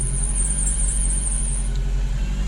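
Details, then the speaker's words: Freshly rebuilt engine just after an injector refit: a thin, high screech wavers over the idle for under two seconds after start-up and then fades; the fan belt needs tightening. "Oh, my fan belt needs tightening."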